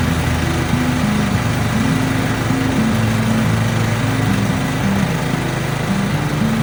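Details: Long-sitting lawn tractor rebuilt with repaired starter and new fuel delivery, single-cylinder engine: drones along evenly with no misses under background music; running healthy.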